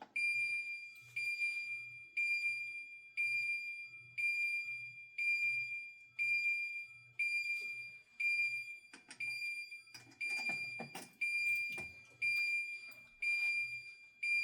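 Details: Safe House 49-485 alarm panel, zone 8 burglary panic triggered from an STI SS 2400 push station: shrill pulsed siren repeating about once a second; panel arms itself and immediately goes into alarm.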